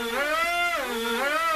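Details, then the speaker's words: KFPlan Z55 Predator RC plane on the ground, props turning: electric motor whine rises and falls in pitch as rudder is swung left and right; differential thrust working normally. "Change in pitch there means it's the differential thrust working."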